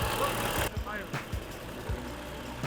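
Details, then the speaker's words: Barn-find Brabus 6.9 V12 Mercedes SL (R129), first start after long storage. Rough low idle with dull irregular thumps: the cooling fan sticks out too far and hits the engine. "all right so that sound you guys hear is actually the fan hitting right here this massive engine that's not supposed to happen uh the fans sticking out a little too much"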